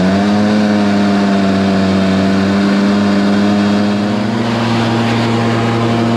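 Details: Stihl BR430 two-stroke blower, restarted after sitting a few days on choke and primed with little fuel, holds steady high revs with a flat, labouring note that never climbs cleanly. It bogs at full throttle; the owner suspected the tank vent, but opening the tank showed it wasn't the cause, so a carburetor rebuild is next.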